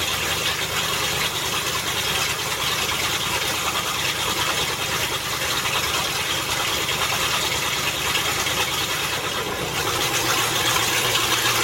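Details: Land Rover Discovery after transmission reinstall (transmission ruined flat towing): raspy, spitting, unmuffled roar at idle with uneven puffing; exhaust leaks badly where someone cut off the catalytic converters, owner plans to patch it together.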